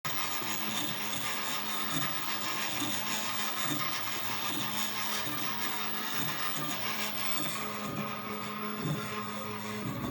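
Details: 3D printer while printing: stepper motors whirr and sweep in pitch as the print head moves, with a weird buzzy rattle on top; gunk, presumably PLA, also seeps from the Olsson Block area.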